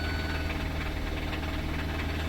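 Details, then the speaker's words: 2017 Kia Sorento 4-cylinder (possibly turbo), towed in, jump-started with a booster pack: rough idle with a hard rapping knock under the low drone. A serious internal knock; the engine needs replacement. "going to be doing a motor, because I don't know if you heard that rap, because it does rap."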